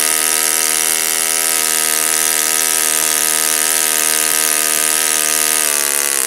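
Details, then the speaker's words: Saito FA-56 four-stroke glow engine, first run after cleaning and bearing replacement, 12x6 prop, OS F plug, 5% fuel, static thrust tuning run: high, steady buzzing drone, easing slightly at end; normal running. "It's a looks like a relatively moderate time engine. As you can see, it runs like a champ."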